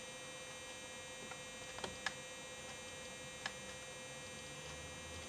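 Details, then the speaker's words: RC car steering servo: steady high-pitched buzz with light clicks at full steering lock while setting end points, servo straining past its travel limit; backing off the end-point adjustment until the buzz stops fixes it. "So all you do when you turn it and you hear that buzzing,"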